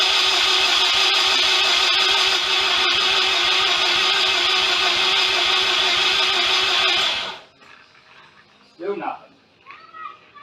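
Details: Mazda FC RX-7 project after wiring work: fast even cranking about three beats a second for seven seconds, no catch; ignition timing suspected, later checked with timing light; crank no start.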